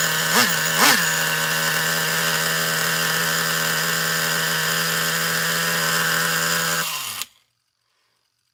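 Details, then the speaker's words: Traxxas Revo 3.3 nitro RC truck that had been running badly, apparently starved of fuel, with a badly bent exhaust: a high buzzy scream holds steady after two throttle blips, then shuts off cleanly; it sounds good now, running normally. "Yep, that'll do. It sounds good now."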